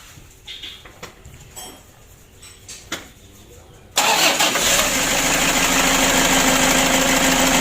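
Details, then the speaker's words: Toyota Hilux, serviced for hard brakes, started after cleaning and refitting the vacuum pump (blower) and changing oil and filter: a few seconds of cranking, then it catches at once and settles into a steady, even idle; healthy start. "untuk mesinnya sudah hidup"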